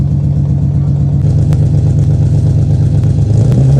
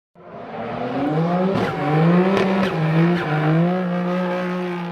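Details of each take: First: 1990-96 Nissan 300ZX (Z32) left idling outside to warm up; steady, even low idle with smooth rhythm and no misfire stumble. Misfire was fixed by reseating brittle, loose connectors. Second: Nissan 300ZX Z32 running rough and smelling very rich: uneven, lumpy running with wavering tone and irregular stumbles before shutting off; engine misfire.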